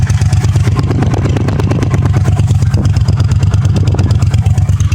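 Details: 1982 Honda CX500 Custom, 12,000 miles, first start in over 10 years after about $125–150 of parts, cold Minnesota day: deep, even twin exhaust pulses at steady pace, no misses. Normal running.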